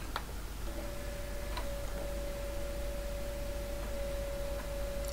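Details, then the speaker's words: F-051D floppy drive after replacing its failed controller, reading a disk on a Kryoflux system; a steady whine with sharp ticks as the head steps; the drive is noisy and keeps working, suspected to need lubrication after long disuse. "you can hear that it's making a lot of noise but uh they tend to do this when they haven't been used for a while"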